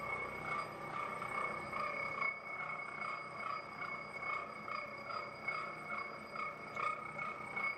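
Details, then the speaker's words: Hobbing machine cutting a 127-tooth gear on a cold day: steady cutting chatter, an occasional vibratory buzz and a bell-like ring from the gear, with no hard hits. Normal hobbing. "It doesn't uh I'm not hearing any uh any signs of hard hits, but occasionally there's a little bit of a vibratory buzz and you can hear the the chatter of the cutting process and that's just the way it is."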